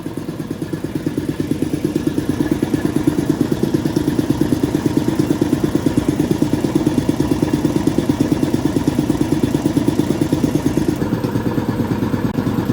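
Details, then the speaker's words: Restored air compressor pump on an 80 gallon tank filling for a leak test, valve closed to build pressure toward 20 psi: quick, even pumping chug, no knocks or rattles, relatively quiet; normal running. "still can't get over how quiet this thing is. It might sound quite loud to you guys, but relatively speaking, it's pretty quiet."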